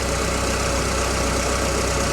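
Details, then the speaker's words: Citroen Saxo burning oil, idling with dipstick out: steady idle with a wet, bubbling gurgle underneath; owner suspects crankshaft slapping the oil but believes the level isn't overfull, cause not confirmed. "what is that gurgling sounds a little bit like crankshaft slapping the oil I'll double check the level again in a minute but I'm pretty sure it's not over full"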